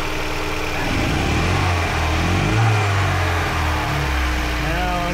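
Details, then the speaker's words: 2005 Mazda MX5 Mazdaspeed, turbocharged on Megasquirt ECU with cold air intake and eBay injectors, stalling at idle: odd droning tone and uneven beat, a misfire from a coil pack connector wire not making contact; later repaired. "But um yeah, ultimately the wire wasn't making a connection, so the coil pack wasn't functioning correctly. That was the weird motor tone that I was concerned about."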